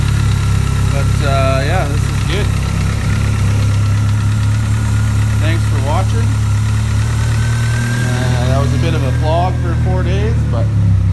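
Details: Mitsubishi 4G63 after a crank, bearing and oil pump replacement for a failed thrust bearing and crank walk, and after a loose bolt rubbing a pulley was fixed: smooth, even idle with no knocking or ticking, and fuel pressure at 80 lb.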